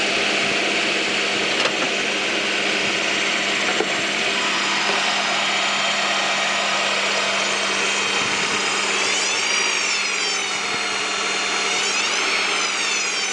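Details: 1998 Honda Prelude, oil light flickering at idle despite oil and filter change: hard, steady high whine over the engine, wavering in pitch near the end, not from power steering, pulleys or timing belt; owner suspects oil pump.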